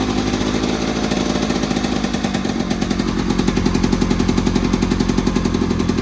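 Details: 1970s Attex ST300 6x6 small engine after the rectifier was remounted and a fuel-pump ground fixed, started without the fuel pump: steady, even beat around four pulses a second with no knock or miss; healthy, normal running.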